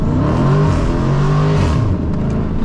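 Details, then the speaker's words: Dodge Challenger SRT 392 Scat Pack with aftermarket exhaust, hard acceleration through gear shifts: deep V8 roar climbs, dips sharply at each shift, then pulls again with no misfire. Healthy exhaust note, thunder-like on the shifts. "The shift sounds so good, man. Literally, the shift sound too good, bro. It's like I don't know what it sounds like. Like it don't fart like a Beamer, but it sound like a thunder, like an earthquake on the shifts."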